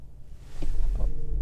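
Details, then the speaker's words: Rented 2021 Toyota Prius hybrid, parked, engine started by pressing the gas pedal: near silence, then a low rumble swells as the petrol engine fires and settles into a smooth even idle. Normal hybrid start. "Oh, mesinnya menyala. Oke, mari kita matikan dan coba lagi."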